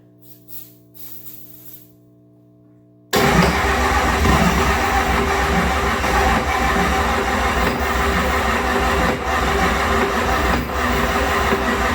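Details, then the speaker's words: 6.9L IDI diesel pulled from a 1970 International Travelette, cranked on ether: the starter churns steadily, about 160 beats a minute, and it tries but never catches; it's getting no fuel yet, so the cause is suspected, not confirmed. "not a good start she's trying that'll make the eyes sting God damn well that was all ether she's not getting any fuel yet"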